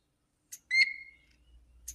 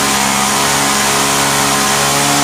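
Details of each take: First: Vintage Hot Wheels R1NX gas go-kart carburetor, sat about 10 years: after cleaning and freeing the one-way valve and refitting the primer bulb, a clean high whistle of air shows the fuel pump passage is open and flowing. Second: Vintage Hot Wheels R1NX gas go-kart that sat about 10 years, its small single-cylinder engine run with the carb cover off: steady but slightly uneven buzzing at high revs, running rough. The owner suspects the mixture needs the cover's restriction or an adjustment.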